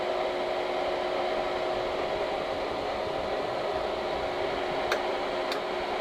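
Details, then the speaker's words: Air compressor for 4500 PSI airgun tank fills, the second unit compared (the non-Omega, presumably Air Venturi), with a hefty fan about twice as loud: even fan rush with a steady mid-pitched hum, no knocks or surging; like a quieter construction-site compressor, running normally. "I think this sounds like a typical construction site compressor not quite as loud but definitely not as quiet"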